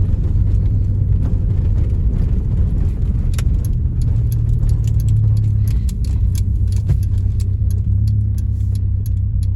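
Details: Honda Civic EJ9 automatic driving with misfires on all 4 cylinders (codes 71-74): deep uneven drone with rough stumbling pulse, keys rattling in cabin.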